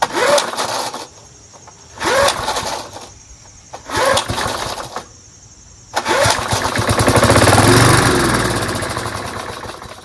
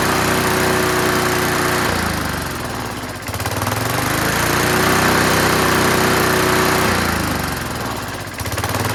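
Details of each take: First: Curbside-found Snapper Hi-Vac push mower, pull-started without enough fuel, its tank reservoir bowl unfilled. Owner suspects debris in the tank to blow out. Three short one-second bursts, then a brief run. Spark good, runs only on little fuel. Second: Curbside-found Snapper Hi-Vac push mower now running on its own. The throttle lever hits the ground at about 2/3, so it revs high. Fast single-cylinder sound, pitch sagging and recovering every few seconds. Running, high idle.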